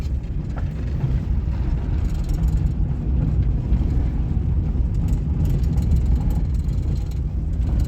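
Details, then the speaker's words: 1998 Suzuki Baleno on a test drive after a seal was fitted at the source of a corner dashboard rattle and squeak: only low, steady road rumble, no rattles, squeaks or knocks; no rattle. "Да, всё , больше никакого скрипа, никакого стука, ничего."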